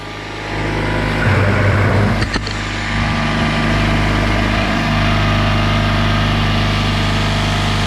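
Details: Craftsman oilless air compressor after a new drain valve was fitted: a steady, even motor drone with a smooth pumping hum and no knocks or rattles while filling the tank to 40 psi; normal running.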